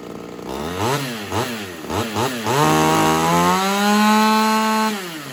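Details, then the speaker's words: Ported Homelite XL-76 two-stroke chainsaw with fuel-starvation problem, run after fitting a new Proline fuel filter: revs stumble and hunt up and down before finally climbing and holding; hesitation unfixed, owner suspects carb needs modifying or heavier reed. "I don't think that fixed our issue I think we're going to be modifying the carb but just to make sure um I think we're going to be either modifying the carb or having to figure out a heavier Reed"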